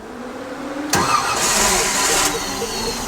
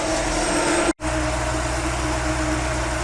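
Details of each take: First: 1955 Chevrolet Nomad fed from a jug off the fuel pump: a short crank, then it catches, runs roughly at a ragged idle and stalls. Spark is present; owner suspects watery fuel. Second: 1955 Chevrolet Nomad after fixing timing, fuel system and ignition problems: steady even idle slightly fast, around 900 rpm, with faint exhaust rattle underneath; running good again.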